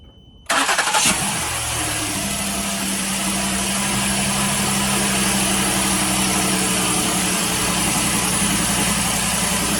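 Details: 2017 Ford Explorer Police Interceptor Utility, first cold start right after new spark plugs and coil-on-plug boots were fitted. Quick crank catches at once, then a steady, even fast idle with a faint hum and no misfire stumble: a healthy start.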